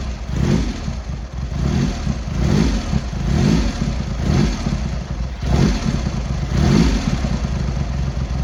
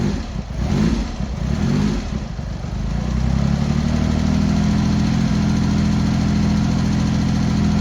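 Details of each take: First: Triumph X75 Hurricane triple after rebuilt carbs, pilot screws richened and left carb corrected, not fully warm: lumpy idle with throttle blips picking up cleanly and settling evenly; running much better, rich at idle with dark smoke off idle, left carb body suspect. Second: Cold Triumph Hurricane X75 triple, rebuilt carbs just refitted, on throttle stop with choke still on, pilot screws thought set about 7/8 out: catches after kick into slightly lumpy, uneven choked idle; needs tuning, possibly richening, suspected not confirmed; uneven idle.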